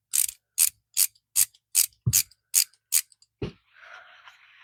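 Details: Old Bonney ratchet after a brake-cleaner bath: about eight crisp, evenly spaced clicks, roughly two per second, then a soft scrape; little crud came out and the teeth are in fair shape, so the pawl action is clean and healthy.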